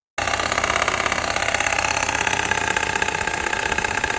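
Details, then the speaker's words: Engine with stretched alternator drive belt, tensioner arrow not moving after tensioner replaced, idle with AC on in D: rapid even chopping-board tapping over steady idle, worse than before (was at 1500 rpm light throttle); tensioner knocking; belt tensioner knock from stretched drive belt. "有位车友说的非常贴切啊，这个声音就像是剁菜板的声音，哒哒哒哒哒哒。"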